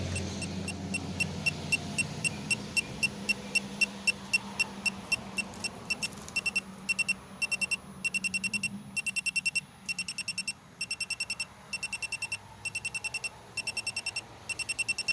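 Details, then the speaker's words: 2017 Chevy Malibu AC leak check: rapid high-pitched beeps about two a second with all LEDs lit as the electronic leak detector senses refrigerant when the AC service valve is depressed; still detecting at that valve. "when I depress that valve hear it beeping all the LEDs going off"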